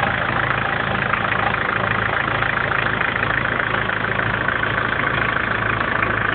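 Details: 1994 BMW 318 tds diesel at idle: steady clatter with a faint repeating knock about twice a second; the source is not identified.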